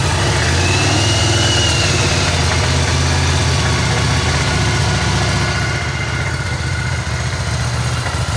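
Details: 1985 Virago 1100 after 8 years in storage, with fresh fuel and a new battery, running on full choke: loud, lumpy V-twin with an uneven, hunting beat that won't settle. Dirty carbs or fuel delivery are suspected.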